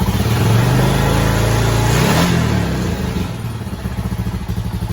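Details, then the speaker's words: Honda Foreman 450 ATV after fully cleaned carburetor and new fuel petcock, idle raised before warm-up: strong rev blip dropping to a fast, steady single-cylinder idle with no stumbling; healthy running. "look at that good running four-wheeler so that's the carburetor that we've gone through completely clean"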